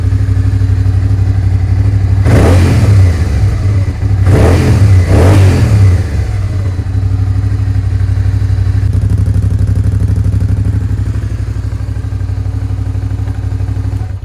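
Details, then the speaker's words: Suzuki SV650S V-twin after carb cleaning and carb sync, airbox refitted: crisp blips climbing and falling cleanly to a steady idle, no hanging revs or popping; smooth throttle, carbs tuned. "so guys as you can see our carbs are nicely tuned up the revs are staying nice and steady thr fral response is there the revs are not hanging anymore it sounds good no more popping and banging"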